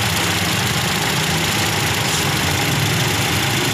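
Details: Toyota Vios 2NZ-FE petrol engine with no power, during misfire testing and a spark plug check: uneven, lumpy low beat under a steady hiss at idle. Rough idle; cause unconfirmed.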